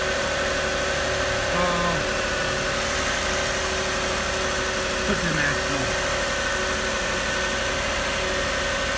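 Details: 2006 Lexus RX330 3.3L V6 after high-pressure power steering hose replacement, started to check for check engine light: even, smooth idle with steady hum, no knocks or misses; normal idle.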